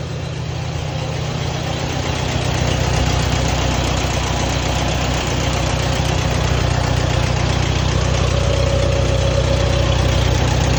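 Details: Allis-Chalmers WD tractor on gasoline, cold start at about 35°F, choked then choke pushed in, after tank sediment got into the fuel line. A steady, even low putter around four beats a second with no hunting. Normal smooth idle.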